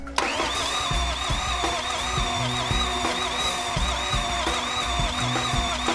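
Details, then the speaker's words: FJ49 new build with Toyota VDJ (1VD) diesel, first start attempt after bleeding fuel lines (bubbles, some pressure now); steady cranking about three thumps per second with starter whir, engine never catches, crank no start. "seemed to got it up that side then yeah so there's pressure there now so if it's not this is going like harder now be something else just give it one more go"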